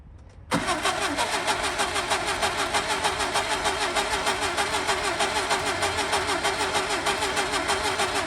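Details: Skoda Favorit Forum unstarted since 2001, fresh distributor cap, rotor arm, HT leads and plugs, petrol poured down the carb: catches after a brief crank and holds high, surging, uneven revs on throttle. Hard start after long storage.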